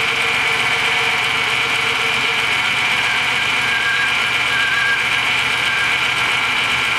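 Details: Old GMC truck with 5.3 engine, left sitting with no oil showing on a rotted dipstick, runs rough with banging and rattling under a hissy chuffing exhaust leak; banging source not pinned down.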